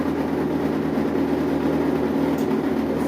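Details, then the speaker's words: Brastemp 15 kg washing machine (BWB15) makes a loud steady droning buzz only when water starts filling, appearing when tap pressure changes; water inlet valve chatter. "cliente vem fazer um orçamento que a minha imagem tá fazendo barulho quando começa a entrar água"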